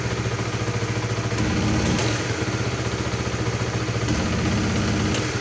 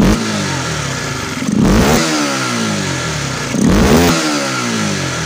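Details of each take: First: Supra GTR 150 motorcycle idling: fine with gradual throttle, but sudden throttle blips stumble and bog instead of revving; misadjusted throttle position sensor. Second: Supra GTR 150 motorcycle after repair of a stumble and no response on sudden throttle: engine idles steadily and revs cleanly twice with no stumble after the throttle position sensor was repositioned; dirty, neglected air filter also noted.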